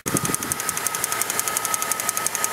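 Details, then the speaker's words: Jeep with the 4.0-litre straight six, about 143,000–144,000 miles, at idle: a sharp, even top-end tick about ten times a second. The owner suspects the cam position sensor, reportedly replaced recently; the cause is not confirmed. "That thing right there, that little gray guy, that's a circle. That thing's making that ticking noise. And I think that's the cam position sensor, which he claimed to have changed recently, but I don't know, it's making a weird ticking sound."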